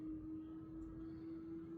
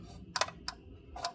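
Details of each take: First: 2024 Tesla Model 3 Performance on 20-inch Arrow/wishbone wheels, reversing slowly after the wheel covers were removed: only faint motor hum, no ticking; the low-speed clicking was caused by the wheel covers. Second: 2024 Tesla Model 3 Performance on 20-inch wheels, reversing at low speed: sharp light plastic clicks from loose wheel covers flexing on their clips; fixed by removing the covers.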